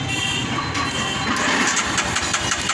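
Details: Royal Enfield Himalayan: starter whirs, engine catches with a few ragged beats then dies; fuel pump makes no priming sound and fails when hot, so the pump is to be replaced.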